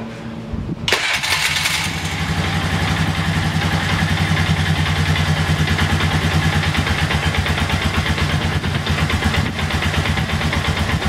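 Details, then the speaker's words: 2001 Polaris Sportsman 500 H.O. single-cylinder ATV, first start after a teardown and rebuild following a rodent nest in the head; cranks, catches quickly and settles to a steady quiet idle, no knocking or ticking; healthy, only needs a new throttle cable. "let's see how she runs that's pretty quiet actually you need a new throttle cable but uh other than that sounds nice"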